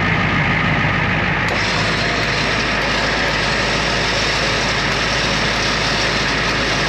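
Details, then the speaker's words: 1994 Ford F350 diesel ex-fire truck, previously non-running from a fuel issue, now running on the rear tank: steady even diesel clatter at constant idle, no misses or surging; running smoothly. "this is a very nice truck I can't believe that thing fired up"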